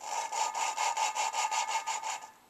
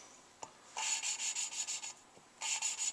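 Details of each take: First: Suzuki Sidekick cylinder head rebuild, lapping a new valve with a suction-cup tool: quick gritty scratching strokes, still harsh at each start; valve not yet seated, keep lapping until the loud grinding sound goes away. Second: Lapping a new valve on a Suzuki Sidekick head rebuild. Four even bursts of hissy back-and-forth scraping, smooth and uniform with no heavy catch at the start of strokes, so the valve is properly seated.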